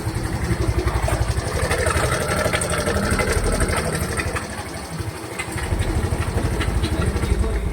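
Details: Mio i 125 scooter idling with a very loud, rough metallic clatter over the idle beat; noise persisted with pulley removed and loose tensioner checked, camshaft removed revealing a destroyed cam bearing.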